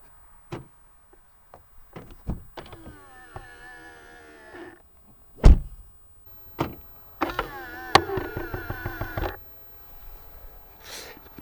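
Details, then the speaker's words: VAG car with keyless all-window closing: two window runs give a strained whir with squeaky, creaking drag and a thunk at the stop; dry, worn plastic regulators typical after about five years, fixed with silicone grease. "це не тільки всієї машини це Майже у всіх машин так буде в середньому 17-18 рік чому Тому що 5 років такої експлуатації а там все пластмаса"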